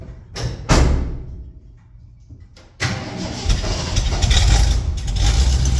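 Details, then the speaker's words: 1974 Ford F-250 Camper Special farm truck, V8 started after a few years of storage: short cranking bursts after about 10-15 pedal pumps, then it catches into a low, steady idle rumble; runs, though it needs some work. "there you have it though few years since it's been outside to start it right up on what 10 14 15 pumps she needs a little work no doubt but I thought that was pretty nice"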